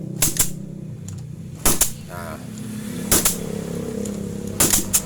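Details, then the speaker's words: Honda Supra Fit-type 100cc motorcycle with hard-starting complaint, compression check by kickstarting with spark plug hole covered: four sharp, strong puffs, one per kick about every 1.5 seconds; good compression. "nah ini menandakan kompresi pada motor ini itu sudah bagus ya"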